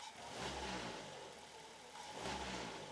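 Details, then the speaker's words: Vehicle with a broken rubber-type engine mount and a cracked air filter housing, revved twice: engine rises and falls with a coarse buzzy rattle over the note and body vibration, consistent with the collapsed mount letting the engine touch the body. "ഇതിലിപ്പോ complaint കാണിക്കുന്നത് ദാ ഈ ഒരു engine mounting ആണ്"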